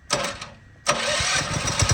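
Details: Redfox 200 two-seater off-road go-kart, warm electric start: short starter whir, then the single-cylinder engine catches at once and settles into a quick, even putter; healthy start.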